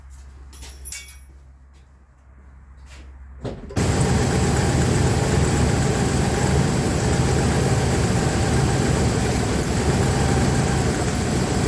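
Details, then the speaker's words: Dodge Ram 1500 3.6 V6 (owner unsure of engine): a few clicks, then cranks and settles into a rough idle from a dead cylinder; cylinder misfire, suspected spark plug. "So I'm gonna start it up, look for a misfire because the misfire is pretty obvious, and pull that plug out and replace the plug."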